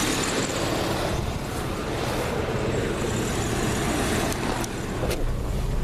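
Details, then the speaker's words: All-stock original 1987 Plymouth Gran Fury at idle, which stalls under load: steady even idle under smog-pump hiss and whir, no misses or knocks; idles normally and starts fine, owner rules out mechanical problems. "it idles 100% just runs great starts right up I don't ever really have problems with it starting but uh and it does seem to sound good what you can hear of it"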